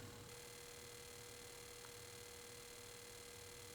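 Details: Cinematronics vector monitor with a repaired board fitted with new regulators, diodes and capacitors. A steady mid-pitched tone over a faint hum with a light buzz: the deflection yoke is chattering normally and the board works.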